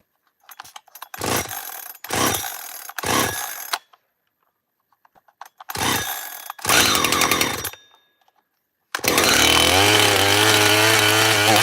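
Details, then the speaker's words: Chainsaw cold start then steady buzzing idle with faint scraping rub underneath: clutch washer rubbing on the E-clip, present since new. "That noise is the washer rubbing against the E-clip. That's what that noise is. It's been doing it since I heard it brand new."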